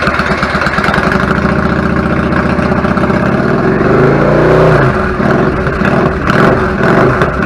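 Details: 1999 Yamaha V-Star 650 Classic, 650cc V-twin, twin carbs, about 16K miles, after clogged pilot jets cleaned following long sitting: even steady idle, brief blip settles back smoothly; normal idle.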